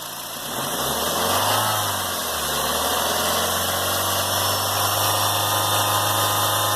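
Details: 2007 Honda Fit idling with a steady high whine over the engine from a bad accessory-belt idler pulley bearing; confirm by loosening the belt and hand-spinning the accessories.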